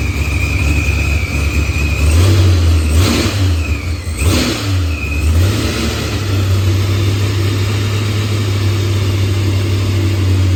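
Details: Green Challenger with a supercharged LS swap, idling after a blown head gasket and a faulty fuel pressure sensor were fixed. Firmware was updated and the idle leaned; timing reads 27°, target 28°. Deep steady idle with clean blips, healthy.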